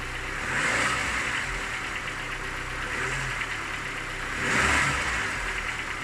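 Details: Cold engine idling and blipping with faint light ticking knock under the revs; knock fades with warm-up, gone at 90°C; hot compression 11 in all cylinders; cause unknown, owner asking.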